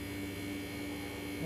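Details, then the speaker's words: HVAC unit low by 6.7 lbs of R-410A, 82°F inside, 84°F outside: steady low compressor drone with no condenser fan whoosh; fan not running due to a failed capacitor, later replaced. "cool you hear the compressor droning fans not run"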